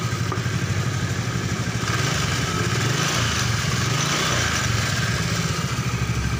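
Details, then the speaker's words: Honda Vario Techno 125 scooter, radiator fitted, hot after about 10 minutes running, following repair of sudden ignition loss while riding: smooth, even idle with no misses or stumbles; normal idle, pulser still suspected. "Dan ini udah tadi udah dihidupkan dan sekitar udah 10 menit ini, dan motor masih belum mati ya, masih hidup."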